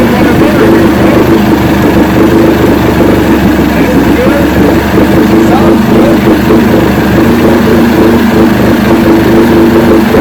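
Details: 1970 85hp Evinrude two-stroke outboard with hydroelectric shift, 50 years old, new water pump impeller, running in a water container in neutral after reverse test: smooth even low burble, steady pitch, no misses or knocks; carburetors judged good at idle.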